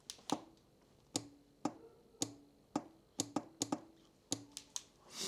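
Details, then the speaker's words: 2020 Kawasaki Z900 with a button-controlled exhaust solenoid valve fitted for pops and bangs on/off, engine off: sharp, irregular dry clicks about twice a second as the valve opens and closes normally. "Słyszeliście takie pukanie to oznacza właśnie że to jest ten że jest elektrozawór zamknięty otwarty i tak dalej"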